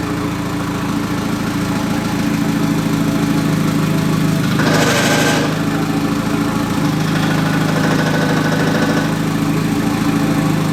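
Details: MK2 Golf with swapped 1.8T engine and 02J transmission: steady idle with an uneven knock about three per second that stops with the clutch pedal pressed; owner suspects flywheel or clutch, unconfirmed.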